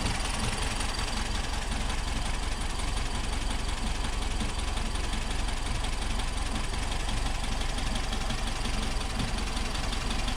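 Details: 1964 VW Type 34 Ghia air-cooled engine, sitting since 1983, with rebuilt carbs, first start and smoky: idle carries a quick, slightly uneven tick about two to three per second from one side; owner suspects a loose plug wire.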